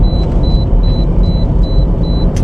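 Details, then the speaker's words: 2012 Toyota Corolla test drive after engine swap (original blew head gasket from overheating), temp gauge steady mid, low fuel: smooth even engine and road drone with repeating cabin chime; engine pulls cleanly, running normally. "So you always just want to make sure that everything's good. So far it's doing what it's supposed to do."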